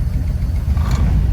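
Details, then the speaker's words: Engine idling in gear (3/drive): a deep, lumpy, wavering idle. It is smooth in neutral, briefly smooth after shifting into drive, then goes rough, far rougher than usual, and worse in low. The cause is not identified. "Now I've noticed, like, that's way rougher than it usually idles, and that's in 3."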